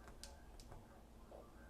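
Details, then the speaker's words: Evercross EV08S electric scooter, freshly charged, pressing power button: a few sharp dry clicks over faint low hum but it never powers on; battery later replaced, cause suspected. "I hear it clicking but I never get anything out of it I don't believe this has a power switch and it will not turn on at all"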